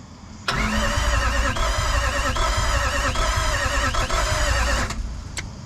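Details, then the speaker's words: Jeep with swapped Toyota 1VD V8 turbo diesel, first start attempt: starter churns steadily about three and a half turns a second but never catches, no fuel pressure seen on scanner; suction control valve suspected; crank no start. "let's crank it and see if we've got fuel pressure and crank signal we didn't have fuel [Music] pressure"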